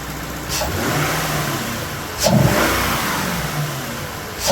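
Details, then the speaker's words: Lexus LS460 V8 in for misfire, after repair: clean throttle blips rise and settle evenly, no stumble or miss; sounds great, check-engine light remains for camshaft actuator circuit fault. "Let's see what happens. Oh yeah. That sounds amazing."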